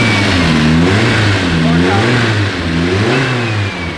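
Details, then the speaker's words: Freshly swapped Nissan KA engine in a 240-type chassis, first test drive after timing adjustment: clean, even revs rising and falling smoothly with no knocks or misses; sounds healthy and right, normal revving. "It sounds sick. It sounds really good. She definitely a KA though."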